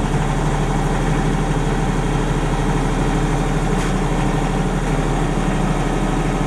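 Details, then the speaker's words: 30+ year old Denyo DCA-15SS-N diesel generator, 1.6 three-cylinder Nissan diesel (18 PS at 1500 rpm), warmed up and no load after years unused: steady, even low drone with no knocks or misses; running normally. "okay friends that's all I guess it's running perfectly that's a really really real reliable little machine"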